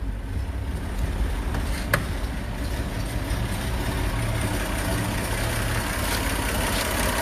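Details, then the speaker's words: 1931 Chevrolet 5-window coupe straight six with mechanical tappets, first run in 20 years: steady idle with light, even top-end ticking; ordinary mechanical tappet noise, healthy. "you can see here, our little straight six is just sort of ticking away. Of course, it's all mechanical tappets. This is very old school."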